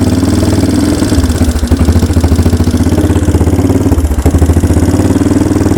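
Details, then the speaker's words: 1992 Yamaha Big Bear ATV, sat about a decade, cold with pull choke on: rough, lumpy single-cylinder idle that sags and dies, running only on starting fluid; plan is new air filter and spark plug and a carburetor rebuild. "so there you go is running just with some starter fluid we didn't change anything else out"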